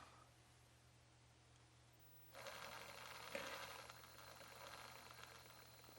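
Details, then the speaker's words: HG P407 Tamiya Bruiser clone RC pickup, Hobbywing 1080 ESC drive frequency set to 16K: only soft gear whir and tire rustle, no audible motor tone; quiet motor, no PWM whine. "no audible tone from the motor except for the actual rotation and the gears and the tires. So try to get it where you see the tires turning. No audible tone."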